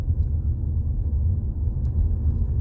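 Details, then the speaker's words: 2018 Jeep Compass driven over bumps, microphone near the floor by the driver's feet, after replacing one front sway bar link: only steady low road rumble, no clunks or rattles; clunking gone. "Little clunking noise is now gone. Going to hang my U-turn here. Let's see. All right. Quiet as a mouse. Customer will be happy."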